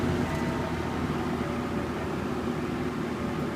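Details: 1979-80 Galaxy Model 3713 box fan, new in box, running on high: steady even whoosh of air with faint constant hum, no rattle or ticking; running smoothly.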